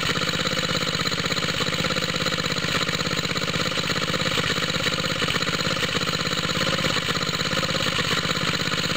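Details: Cold start of a small water-pump rig engine on straight 30-weight oil, choke on, after fitting an exhaust tip: ragged, uneven puffing idle with a hissy edge. Owner suspects a head gasket leak costing compression, with smoke from the side of the head.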